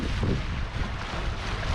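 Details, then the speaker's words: Sailboat engine after an upgrade, at neutral idle with wind noise: a low, even diesel thrum that is very smooth with hardly any vibration and no knocking or shudder; healthy idle. "how's she running smooth really seriously smooth she feels awesome even in like even an idle neutral idol it's great there's hardly any vibrations"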